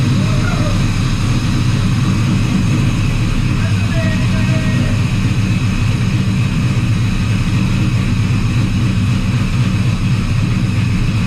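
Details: Squarebody Chevy C10 V8 with new Holley Terminator X EFI after first start: lumpy, choppy idle with heavy low rumble from a rowdy cam, settling and running steady; normal idle.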